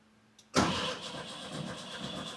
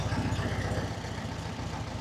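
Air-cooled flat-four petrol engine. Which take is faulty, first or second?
first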